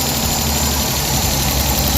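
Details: Suzuki DA64/DA63/DA17 petrol engine after replacing a burnt, overheating wire, started with AC on: steady idle with an even low hum and no shake or stumble, the earlier AC-on vibration fixed.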